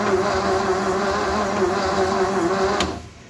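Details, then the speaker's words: 1955 Thunderbird, engine likely unrun since 1969, 6-volt, cleaned starter, new plugs, Marvel Mystery Oil in cylinders, ignition not hooked up: steady starter whine with slow even compression chugs, no binding; engine turns freely. "Okay. So it's free, it rotates."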